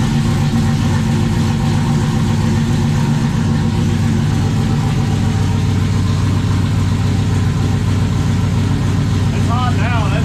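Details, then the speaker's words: 1995 Dodge 5.9 Magnum V8 in 1951 Dodge dually, new Comp Cams Xtreme Energy 20-746-9 cam, 60lb injectors, GT45 turbo, engine hot: deep, steady idle about 850 with slight rhythmic cam lope, all cylinders firing evenly; healthy. "that's all eight that's one it's got a pretty good 850 yard again yeah it sounds pretty good"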